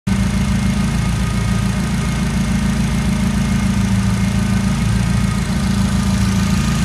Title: SR20DET without exhaust leaks